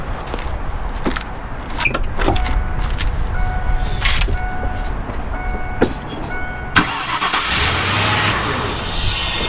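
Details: Car that would not start: a few clicks from the OBS module and short starter whirs, then the engine catches and settles into a steady run; a normal start. The fault was found to be the neutral/park safety switch.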